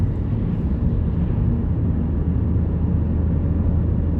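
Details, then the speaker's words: Car on test drive after replacing worn rear wheel bearing: smooth, even low tire roar at steady speed with no droning or growl; bearing now healthy, just normal tire road noise. "Nice and quiet. Just the normal tire road noise down."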